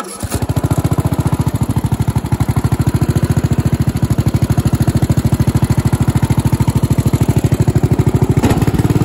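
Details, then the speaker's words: Craftsman LT1000 14.5 hp 42-inch riding mower after new spark plug, cleaned air filter, new fuel line, blades and battery: steady even firing with no misses, running well where it previously ran poorly. "He also got a new battery for it. It starts and runs amazingly now."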